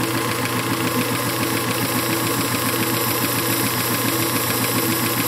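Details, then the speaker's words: Circa 1919 Hjorth lathe run by a half-horsepower electric motor on a temporary belt, cutting aluminum: steady even hiss like a leaky air hose over soft regular rumble, no chatter; a good, normal cutting sound. "you can hear that hissing is something a leaky air hose that that's the sound you want it sounds pretty good actually"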